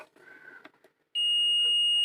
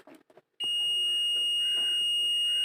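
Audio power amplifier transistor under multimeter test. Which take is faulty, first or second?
first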